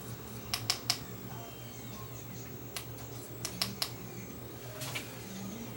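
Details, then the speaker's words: Basic Blu-ray player: quiet hum with scattered sharp ticks and clicks as the optical pickup hunts back and forth, never settling; disc reported as unknown, possibly a weak Blu-ray laser. "media that's reading still I can hear the pickup moving around this is a loading disc"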